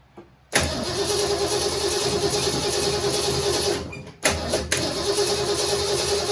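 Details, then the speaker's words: 1967 Mustang C-code 289 V8, four-speed, after a new fuel pump and filter: cranks, catches, then runs with an uneven, lumpy beat and a stumble. Owner says it has carburetor issues but it runs; carburetor suspected. "well she obviously has some carburetor issues but she runs and we're happy with that"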